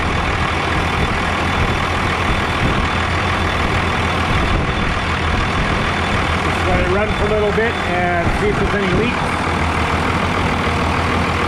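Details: 2001 Freightliner bus conversion, 24-valve Cummins diesel, just after fuel filter change and fuel system bleed: steady, even idle with smooth low rumble, no stumbling or misses; normal diesel idle.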